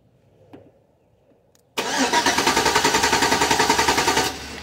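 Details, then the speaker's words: 2004 Chevrolet Silverado 5.3 V8 with no-crank fault, starter energized by jumping the wire without the key: strong, even cranking about three and a half turns a second for over two seconds; starter spins engine properly. "y ahorita sin ponerle a la llave pues lo único que va a hacer es que va a estar dando marcha mira"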